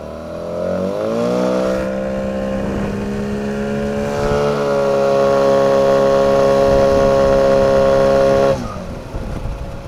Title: Свист тормозов на моторе 9.8 (2)